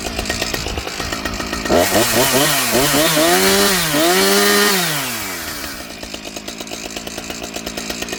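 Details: Husqvarna 455 Rancher chainsaw, bogging fixed by correcting swapped fuel lines; steady idle ticking, then crisp rev-ups climbing and falling cleanly with no bogging or stumble; runs healthy.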